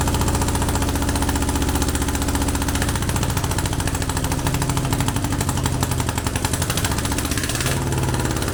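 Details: Air-cooled VW Beetle 1200 engine, long dormant, on a test stand after plugging vacuum leaks: lumpy, uneven idle with a heavy low chuff and skipping beat; one cylinder not firing.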